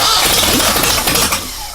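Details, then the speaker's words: First start attempt of cold air-cooled engine with makeshift exhaust pipes, untrusted carburetor and makeshift ignition wires: harsh sharp bang with crackling fading over a second, ignition explosion in the face; backfire, something wrong. "Holy cow. I got the first ignition explosion right in my face. Something is wrong."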